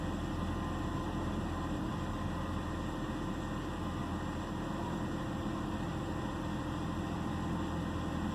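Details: 2009 BMW 328i xDrive coupe six-cylinder at idle: low steady drone, no revving; misfire not obvious here, but the complaint is misfire and rough idle.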